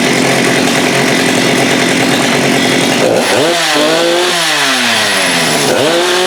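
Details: Husqvarna 394 with HyWay 58 mm big-bore cylinder on the original OEM carb, cold day: screams wide open, then pitch stalls and burbles at the top; the carb's rev limiter caps no-load speed near 10,920 rpm versus about 12,500 expected.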